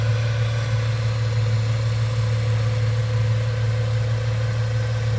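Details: 1998 Ford Mustang, first start after about ten years sitting: smooth, even low V8 hum at idle with no knocks, misses or ticks; quiet, healthy-running engine.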